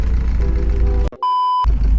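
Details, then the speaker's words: Single clear half-second high beep over an old MGB GT idling: the front-facing camera's low-battery warning, meaning its battery is dead and needs replacing. "i actually can't believe this the the camera the front facing camera the battery is dead which means i've got to get out and put a new battery in it"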